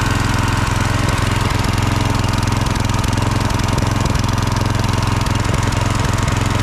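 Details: Husqvarna HU 625HWT string trimmer, a non-runner, after an oil change filled to the max mark, run outside while burning oil off the muffler: fast, steady buzzing beat at constant speed, no misses or surging; running evenly and healthy.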